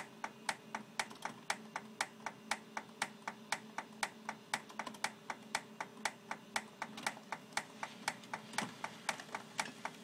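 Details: Xerox 6110 printer makes sharp, regular clicks about once a second while warming up and printing, though prints come out normal; cause not identified.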